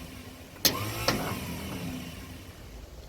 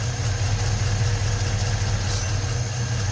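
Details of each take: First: 1956 Ford truck, 45,000 original miles, sitting about 40 years, after a coil change with spark confirmed and fuel fed: two sharp clicks about half a second apart, no cranking. Owner suspects a sticking starter Bendix; mice droppings later found in flywheel cover. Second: 1956 Ford truck, 45,000 original miles, first run after 40+ years sitting with new rebuilt starter: low steady idle rumble, no knocking or banging; normal idle, battery light on, possibly not charging.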